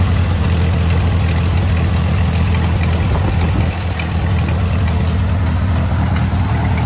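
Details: Ford 8N tractor revived after sitting over five years: with choke mostly closed it idles fairly smoothly, a low steady thrum with an even beat and only a brief dip.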